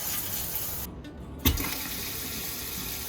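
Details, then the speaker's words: Newly replaced water pump after the old pump's pressure switch failed and housing leaked: strong, even rush of water from the tap with no sputtering or surging, great pressure, no leaks, pump quiet; normal water flow. "new pump is in i'm getting great pressure no leaks it's nice and quiet uh just loud enough where i can hear it when it's running"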